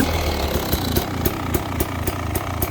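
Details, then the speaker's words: 2023 Beta 300 Xtrainer two-stroke, warm, choke off, after ultrasonic carb cleaning of a blocked pilot jet and idle/mixture adjustment: steady burble with sharp crack about every quarter second, holding even idle without stalling; normal idle. "you can see, that starts and idles"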